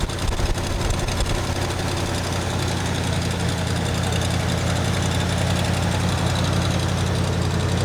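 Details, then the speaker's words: 1979 Ford F-150 with modified 351 V8, long abandoned, after bolting on new aftermarket carburetor: lights right off and settles into steady low even idle with no stumbling; small fuel filter leak noted. "There you have it, Chinese carburetor bolt-on, lit right off."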